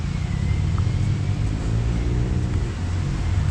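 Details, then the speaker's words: 1996 Oldsmobile Aurora idling after alternator found shorting (battery sparked) and replaced, oil and filter just changed; smooth, even low idle rumble, no ticking, knocking or whine; normal healthy idle. "But other than that, this is my car sitting here running."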